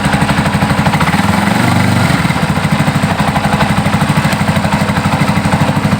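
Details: Yamaha Scorpio motorcycle with complaint of no power, sputtering and popping, started without choke: uneven, stumbling idle at about three beats a second with irregular loping pulses; misfire.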